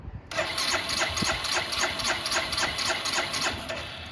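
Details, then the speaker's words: Barn-find 2005 Suzuki GZ250, 950 miles, vacuum-operated fuel petcock: starter cranks at nearly four beats a second and it never catches; fuel is not reaching the carburetor. "Alright, well, that's probably one of our issues. Let's try it on reserve to see if anything changes. No. Alright. So there's our first line of attack. We gotta see why we're not getting fuel out of there."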